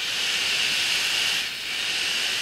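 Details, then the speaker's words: Anycubic i3 Mega 3D printer, original radial blower fan, called the noisiest fan on the printer and kept since no replacement was found: a loud, steady, high, airy hiss with no rattle or wobble. "I assure you not this how loud is the most noisy is found is this one here"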